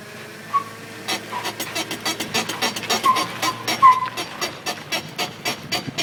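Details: 2004 Jeep Grand Cherokee, 106k miles, new rotors and pads: rapid uneven clicks and clunks on sharp full-lock turn, also noise braking at 50 mph; owner suspects CV joints or transfer case, unconfirmed.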